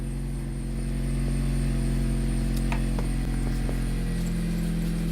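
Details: 2010 Jeep Compass after repairing a no-start caused by a corroded ASD relay box: steady, even idle with a smooth low hum and no knocks or misses.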